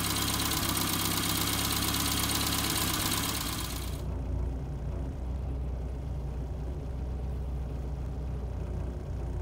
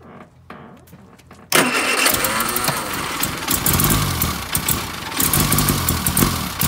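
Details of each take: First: Austin Allegro idling after a roadside stall, now running again with the carburettor mixture adjusted rich; points, distributor cap and rotor arm are poor, giving barely a spark. Loud first few seconds, then a steady, fairly even idle with no stalling or misfire; normal idle. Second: Austin Allegro that died on a drive, cranked after swapping in a spare coil of unknown condition: it catches, then runs rough and lumpy with the throttle floored and won't keep running; a sticking carburettor float needle is suspected.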